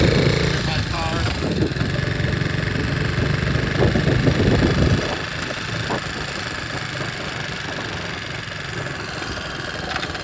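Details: 1961 Honda 50 Super Cub, 50cc single, rebuilt from engine in pieces in a crate, running with no battery and electrical unfinished; soft regular putter easing down to an even, quiet idle, sounding pretty good.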